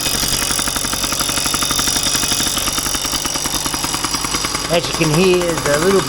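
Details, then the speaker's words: 1990 Yamaha PW50 two-stroke at idle: a fast metallic rattle from the back of the engine over the buzzy idle, source not yet found, though the bike otherwise runs well. "a rattle in the the coming from the engine back we uh look into that runs like a dream"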